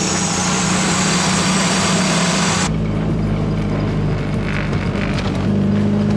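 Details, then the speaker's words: 240 petrol engine idling with a low, slightly uneven drone, still rough and a bit high (thought to belong just under 800 rpm) after the MAP sensor was connected, which steadied it somewhat. "damn those spark plugs have a lot though but i can still hear the idle the idle's still pretty rough on it"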